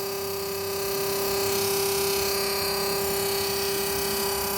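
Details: Frigobar converted from 220V to a new 12V compressor with a 20 fuse and an added cooling fan, cooling well: steady buzzing hum with a fixed high tone and a fast rattle about four per second; owner suspects base vibration or gas overcharge.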